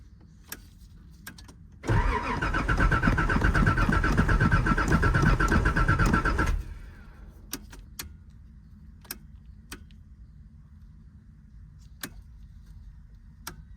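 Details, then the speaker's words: Nissan 300ZX Z31, bought for $700, revival attempt: starter cranks steadily about four beats a second for four seconds, never catches, no fuel pump priming hum from tank; dead fuel pump, later replaced. "I don't even hear the fuel pump priming at all. So, yeah, guys. Yeah. So, it's a no-go."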